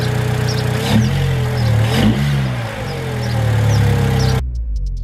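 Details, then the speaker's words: Car after its first-ever spark plug change: engine revved in two quick blips, climbing cleanly and settling back each time with no misfire stumble or rattle; runs smooth and healthy. "I might be wrong, but this is starting to feel like a Rolls Royce. Hey, come on! Wait, let's give it a little rev."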